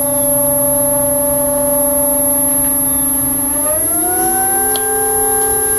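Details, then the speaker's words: Newport NK180 kayak trolling motor run out of water without the prop, no load, at 25% to full throttle: loud siren-like whine of clean tones stepping up in pitch with speed; motor whine under warranty diagnosis. "also allows us to hear it without the water sounds covering the noise and without resistance."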